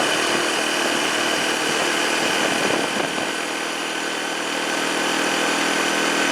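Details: 2007 Arctic Cat ATV 400 engine idling evenly at a quick beat with steady buzzy exhaust, no misses or stumbles, after sitting a year and a half; fixed with carburetor cleaning and a new spark plug, now running properly.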